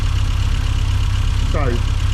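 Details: 1990s Mini Cooper S Sport 5, hot engine at steady low idle after new plugs fitted, slightly uneven and lumpy with no clear knock. Compression and ignition seem okay, little RPM drop; owner suspects fueling, unconfirmed.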